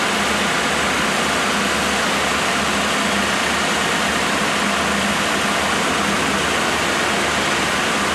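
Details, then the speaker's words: Freshly rebuilt 1987 Mercedes-Benz 560SL on warm start during break-in, mic at front: steady radiator fan rush over a very quiet engine with audible chain tensioning, no knocks or misses; normal running. "The fan kicked in, but that's still The actual engine is so quiet that I can hear the chain tensioning."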